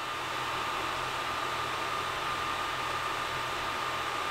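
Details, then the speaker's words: Creality Ender 3 Pro 3D printer with silent stepper board, stock fans all running, power supply hot spots up to 50 °C, about 61 dB: steady loud airy hiss with thin high whistle; loud stock cooling fans. "i just needed that fan to turn on because that's one of the major fans in the system and it turns on and off when i'm doing longer prints so now you can hear it it's going all right so now i've got all the fans going and i'm gonna get a reading on my decibel meter"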